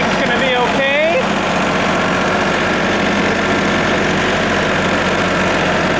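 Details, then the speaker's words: Tractor-mounted branch sweeper after chain drive repair and jam nut adjustment, sweeping snow-cleared road: steady even brushing roar with no grinding, crunching or knocking; chain drive running properly. "seems like it's working pretty good don't hear any funny noises grinding or crunching or breaking change or nothing well that's good"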